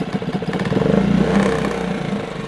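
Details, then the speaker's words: New Hidea 2.5–6 HP outboard, first-ever cold start by pull start with choke then pushed in, in neutral at lowest throttle: quick even two-stroke-style putter, a little first-start smoke, idling nicely while warming up. "one thing you're noticing here is because it's the first time we're starting this motor up you get a little bit of smoke and that's okay it's getting going it's getting warmed up at this point it's idling nicely"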